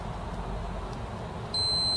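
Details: Philips CDi 210 gamepad repair: testing connector wire with a continuity tester; a steady high beep cuts in halfway and holds, showing the wire is connected.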